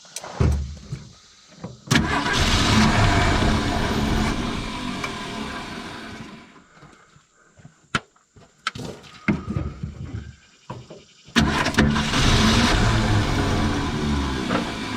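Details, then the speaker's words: 1970.5 Ford Falcon after sitting 28 years: cranks, catches and roars in bursts, sags and stumbles until fuel hand-fed again; not drawing from the tank, owner suspects dead fuel pump. "So just keep feeding it juice. There it goes. Oh, almost. He hasn't picked it up yet."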